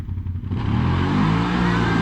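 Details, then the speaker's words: 2020 CFMOTO CForce 800 before clutch kit install, accelerating from a pull: engine pulls hard, then revs sag and dive after a few feet before climbing again; engine bog under acceleration, later cured by the clutch kit. "so right here I want you to listen to the RPM we're just bogged down right there after a few feet listen to it again this is before clutch kit work listen to how it dives down"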